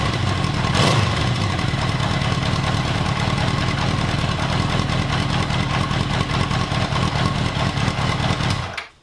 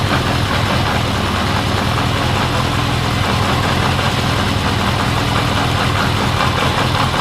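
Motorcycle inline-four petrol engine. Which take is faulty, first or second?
first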